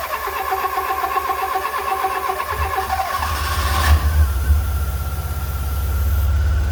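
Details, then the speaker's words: Fiat Punto GT that had stopped, refuelled with fresh petrol because owner assumed empty or dodgy fuel: cranks briefly, catches around four seconds, then holds a steady, even idle with no misses or knocks. "So we now have a running pretty sweet GT, so pretty pleased with that."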